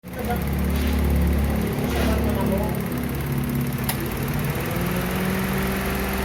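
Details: 2003 Mitsubishi Lancer CVT cranking but not starting: starter churns with a steady rhythmic chug for several seconds, never fires; cause found to be crank position sensor malfunction, bank 2 low circuit input.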